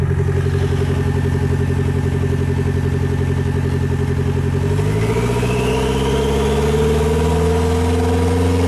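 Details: Nissan Sentra GA16 manual, clutch pushed in to exclude transmission noise, revving: rapid knock comes in around 3000 rpm and stays with revs; owner fairly certain it is a bottom-end knock, not confirmed.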